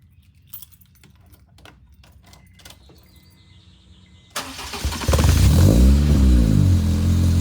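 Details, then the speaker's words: Honda Civic with DNA header and full Yonaka exhaust, new battery, lukewarm start: starter cranks, engine catches and settles to an even, steady idle; slight vibration from the bumper, strong healthy engine, normal idle. "it has a little bit of a vibration that's just from the uh that's just from the bumper but yeah it's a strong running engine and everything and it runs and drives"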